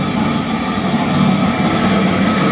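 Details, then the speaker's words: Old heavy 3-phase lathe first power-up: loud harsh steady rattling roar; loose slapping drive belts from a non-original broken tensioner with stripped threads and no locking bolt. "What a racket! This thing obviously isn't original. There is no locking bolt and the threads are totally stripped. What the fuck. This is some kind of tensioner that is kaput!"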